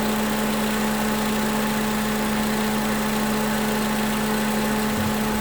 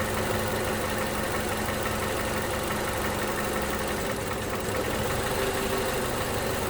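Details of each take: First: 2011 Toyota Camry 2AR-FE after lifter and rocker arm replacement, warm with the fan on and no leaks. Revved to about 1500–1600 rpm and released, it settles to a smooth, even idle with no stumble; coolant later read 230 on the scan tool. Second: 2011 Toyota Camry 2AR-FE, just fitted new lifters and rocker arms: revs to 1500 rpm then throttle released, faint light valvetrain ticking under idle; engine seems to want to die but keeps running.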